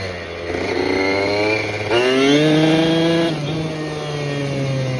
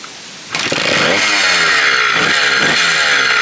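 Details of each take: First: Restored 1987 Kawasaki KDX80 two-stroke on a test ride with the exhaust baffle removed for more power: crisp buzz climbing cleanly in pitch and dropping back smoothly, with no slipping or rattle; it runs healthy. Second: 1987 Kawasaki KDX80 two-stroke being restored from non-running, fresh two-stroke mix, kill switch broken: revs up and down crackly and uneven, never settles to steady idle; idle circuit not fully working, though runs enough.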